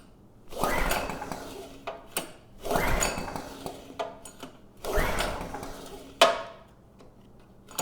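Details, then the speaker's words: PowerMate generator (model PM0123250), said to run but make no power: three recoil pulls spin the engine without firing, no start possibly from a closed fuel valve and water in the carburetor. "And we get no signs of life. So I'm just going to drain the carb real quick, make sure it's getting fuel. That fuel valve, I thought I turned it on, but I may have actually turned it off."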